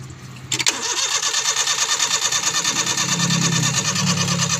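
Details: Suzuki Scrum F6A 12 V with intermittent hard starting: steady fast cranking at about three beats per second that never fires. Fuel and timing were suspected, but a faulty ignition switch was found to be the cause.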